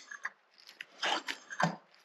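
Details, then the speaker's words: SU HD8 carburettor from a Jaguar XJ6, being rebuilt: after tightening the jet and lifting the piston, a few light taps then one clean metallic click as the piston drops and seats; jet centred properly, normal piston drop click. "You're going to hear that click. So that's centered properly."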